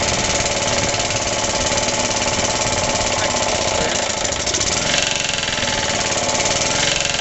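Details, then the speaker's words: Suffolk engine after rebuild, first start: loud, busy single-cylinder beat with a hard knock on every firing at idle; the knock is new after the rebuild, and the owner suspects the clutch or shrouding. "oh I can't remember it making that noise it runs rest assur it never used to make that knocky noise so I don't know what the hell's going on"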